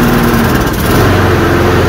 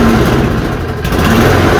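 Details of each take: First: Toro Recycler self-propelled push mower, 190 cc engine (labelled 7 hp), with a clogged carburetor and a choke that opens off the flywheel. It catches and settles into a steady, even putter at constant speed, now running normally. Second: Toro push mower running after reassembly with the air filter box reinstalled: the note rises and sags every couple of seconds as the automatic choke flaps open and shut, making it hunt. Owner guesses a dirty tube. The finding is surging from choke cycling.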